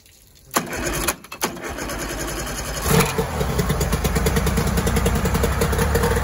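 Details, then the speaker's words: 1994 Mariner 30 hp outboard in a test bucket after a carb clean and a lower unit service with new water pump and seals; a few cranking bursts, then it fires, revs up properly and settles into an even idle. "success all right it's running okay that's a good sign she revs up when she's supposed to"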